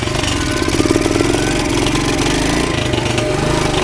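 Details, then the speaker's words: Pit bike single-cylinder with duct tape and cloth packing in muffler, engine missing a few mounting bolts: uneven shaky idle with buzzy rattle; owner suspects engine vibrating from missing bolts, not confirmed. "know what that's all about actually doesn't sound that great I hope that's just my"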